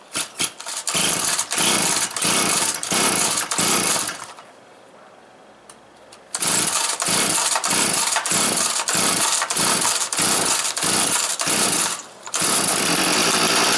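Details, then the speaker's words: Stihl FS 400 professional brushcutter that wouldn't start (spark present, plug dry), started after fuel reached the carburettor: small two-stroke buzzing in rough bursts that keeps sagging; won't rev up, air filter then carburettor screen to be checked. "і так так завелась але не розвиває оберти проперевірю чи не забитий фільтр"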